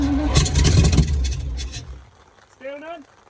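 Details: Alvis Stalwart not run for 30 years, repeated cranking after Easy Start on new batteries: steady starter churn about three and a half beats a second with no catch or pickup, then it dies away, cranking without firing.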